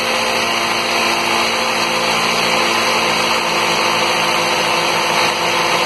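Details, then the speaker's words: 2005 Toyota Corolla, close to 120,000 miles, idling just after a spark plug change; steady, even hum with no misses, stumbles or ticking; engine idles smoothly and healthy. "Okay guys, let's start it up. It's running."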